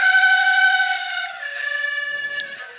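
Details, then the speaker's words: Running condo fan drawing outside air, dirty and a little rusted: loud steady high-pitched squeal from a dry motor bearing that got very hot; later fixed by cleaning and re-oiling the bearings. "Until I was sitting in the other room and I heard this horrible squealing noise. It's like, what the heck? Checked down, it was the fan."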